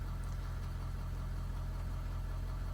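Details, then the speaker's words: 2015 Ford F350 6.7 Powerstroke diesel just after oil and both fuel filter changes, restarted after fuel system primed: steady, even idle with a smooth low rumble and no knocks or misses; running healthy. "okay we're good we're started let's see if it stays started seems to be running pretty good so"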